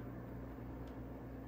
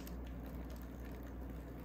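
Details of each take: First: Old Canadian Pacific F7/F9 model locomotive on DC at half power: low steady electrical buzz, no running note; motor powered but stalled, freed by turning flywheel by hand. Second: Old Canadian Pacific F-unit model train locomotive that only buzzed until its flywheel was turned by hand: it now gives a low, even motor hum with no catching, stalling or surging, and runs smoothly.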